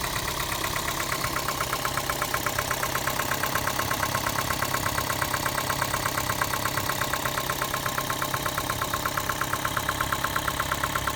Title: Prius 2 engine knocking noise